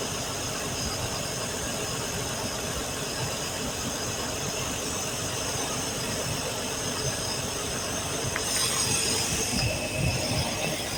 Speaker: Sure sounds good. Sounds real good.